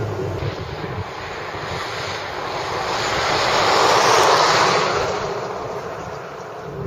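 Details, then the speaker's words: 2014 Hyundai Accent on the highway, heard in the cabin: constant hollow roar swelling and fading with the road surface; road noise from hard, narrow low-rolling-resistance tires transmitted through the wheels. "yep that's road noise and it's transmitting directly through the wheels you can really hear how those Slow Rolling resistance tires are transmitting that noise directly into the cabin"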